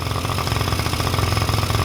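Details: Honda Dio two-stroke scooter after cleaning oil flooding from a leaking oil pump and fitting a DIY gravity-feed fuel tank in place of the failed fuel pump: quick, even popping beat, steady low rumble, no stumbles; idling cleanly.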